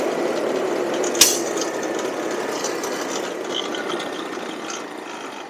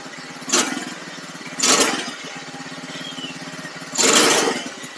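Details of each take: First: Cheap buggy's small engine, hot, riding after fitting a 120 jet; after a quiet lead-in it revs cleanly with a climbing note, no obvious stumble; normal running, occasional hesitation owner attributes to the pilot jet. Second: $300 buggy small engine, carb tuning with 110 jet and needle at very bottom, previously running lean: idles with uneven surges, revs jumping in brief bursts every second or two; jumpy surging idle, carb not yet settled.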